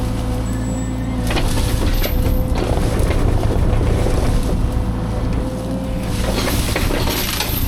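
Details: Fecon forestry mulcher after rebuild/overhaul, freshly greased, feeding a test brush pile: heavy steady drone, rough chewing and crackling, rotor holding speed under load; normal operation.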